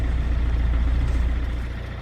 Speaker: Well, look at that. clean as a whistle on a cold start in early December. That's incredible.